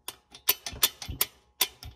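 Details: BMW N20 turbo wastegate flapper rattle: sharp, uneven metallic ticks as the loose flapper rocks in its worn bore; the flapper fails to stay closed, causing low boost pressure.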